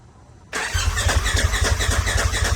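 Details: Turbo S after a big turbo, head studs and injectors were installed, fuel pump back on after a blown 7.5 A fuse: the starter cranks with a quick even chugging rhythm for a couple of seconds but it never catches. A component had been hooked up backwards.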